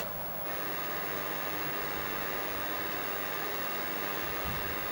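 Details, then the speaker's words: ColecoVision console running Donkey Kong, heard through the TV on power-on: steady loud hiss with no tune. The sound adjustment screw on the RF modulator is suspected to be off; adjusting it later cleared the fuzzy sound. "Boy, there's some horrible noise. I guess that's what we're talking about, is that noise. So, I guess that's the problem. This thing is a bit noisy."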